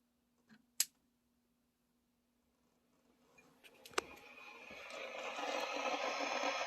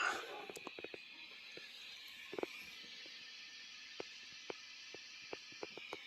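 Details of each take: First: 1996 Peavey 5150 2x12 tube combo guitar amp, standby switched on with all tubes glowing: sharp pops, then a steady hissing crackle of static; it happens at every standby flip, with or without a cable plugged in. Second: 1996 Peavey 5150 2x12 combo tube amp after replacing capacitors and resistors, tubes warmed up: only a soft steady hiss with a few faint scattered pops, no hum or crackle; repaired and idling quiet.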